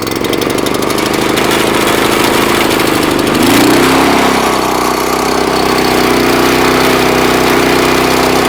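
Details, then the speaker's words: Salvaged Honda GX340 11 HP engine from a discarded pressure washer: cranks a few seconds, catches, and settles into a steady, even single-cylinder run with no knocks or misses. "Well, that answers that question. It will crank up."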